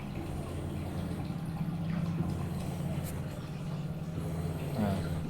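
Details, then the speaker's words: Kia electric fuel pump actuated through the Kia GDS VCI scanner actuator test with ignition on and engine off: steady low hum with an even drone throughout; pump energised and running normally. "Fel Pum juga kita bisa tes nanti ada suaranya itu kalau kita tes coba ya"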